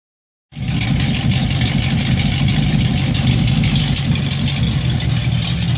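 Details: Fox-body Mustang after IRS swap, no mufflers, off-road H-pipe, first drive out of the garage: loud unmuffled idle with an uneven, lumpy beat and stumbles, not settling to a steady rhythm, running really rich; rough idle, cause not yet diagnosed.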